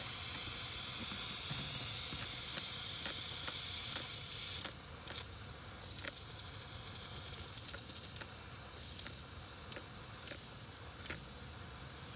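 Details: Lennox gas package unit, no cooling or heating call: constant high, airy hiss of refrigerant escaping from inside the condenser coil, with handling clicks around it; coil leak too big to pinpoint, not a joint, not repairable on site.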